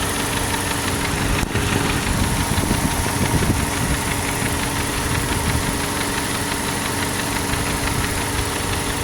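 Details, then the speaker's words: Ford Focus idling after engine and heater core flush for a no-heat problem; cooling fans kick on with a steady, even rushing roar over a smooth idle, no rattle, cycling off about 203°F; normal fan operation. "Cooling fans just kicked on. You can hear it."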